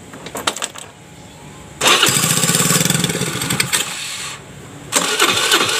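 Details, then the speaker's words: Piaggio Liberty scooter that would not start on starter or kickstart, spark confirmed at plug: starter churns a couple of seconds, engine fires once, nearly runs, then dies back to cranking; crank no start, fires once. "ya cuman sekali doang udah hampir mau hidup ya teman-teman"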